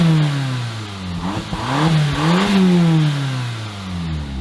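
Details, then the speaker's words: 2015 Audi TTS rollover salvage after locksmith programmed the key and temporary oil pan hole fix: engine runs without shutting off, revving up and down smoothly through several blips with no knocks or rattles; healthy engine. "They, in fact, did program our key, and check this out. It runs, and it doesn't shut off."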